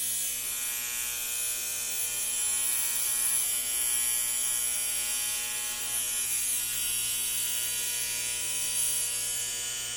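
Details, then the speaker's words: 1960 Zenith X519 clock radio during repair, alarm switch confirmed closed: steady, harsh, high-pitched alarm buzz holding an even level throughout; alarm buzzer working as it should. "all right so let's plug it in okay the alarm is buzzing okay"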